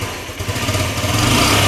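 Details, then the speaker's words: Cheap used Honda Ruckus scooter idling very low and dying on throttle: the engine picks up slowly and unevenly, stumbling instead of revving cleanly. The owner suspects old gas or a dirty carburetor. "Still boggy, though. Hard to say if that's just the old gas in the tank or if the carburetor what we'll try first."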